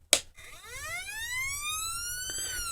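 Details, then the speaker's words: Sho-Me 100 watt 12 V siren amplifier bench-tested on a battery before its wiring harness repair: a clean wail sweeps upward and holds high, driven by its internal coil, so the unit works. "Yeah, I mean, it does work. Now, there's a coil in here that's making it do that, and it's working off of that little bitty batteries."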